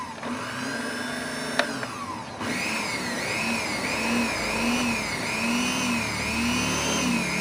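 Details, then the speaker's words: Wongdec turbo-power blender after repair of a stiff blade shaft, reassembled: after a brief start the motor settles into a steady high whir with slight even waver, spinning freely; healthy. "โอเคหมุนได้ปกตินะครับยอดเลยนะครับ"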